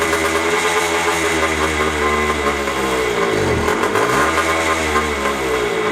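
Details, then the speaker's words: Dirty 2001 JR80 five-speed two-stroke dirt bike, before repair, wouldn't stay running or idle and died with the clutch pulled: raspy idle sags hard, nearly dying, then slowly recovers; throttle does nothing for seconds; dirt found in fuel line, carburetor clogged. "Give it throttle, it does absolutely nothing, and then it kicks in like a few seconds later."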